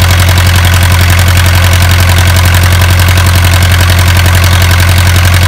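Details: Isuzu 4BA1 85 hp diesel engine direct-coupled to a 5-inch single-impeller pump, pushing water about 800 m uphill to irrigate a 20-rai durian orchard: steady, even beat at about 220 pulses a minute, deep solid drone, no knocks or misses; healthy running under pump load.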